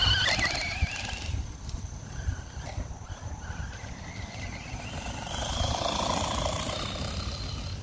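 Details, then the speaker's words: Traxxas Rustler 4X4 RC truck under throttle: rough, rapid chatter with a squealing whine that rises and falls with speed, from a stripped ring and pinion in the rear differential. "it's something in the gears maybe it's something flapping"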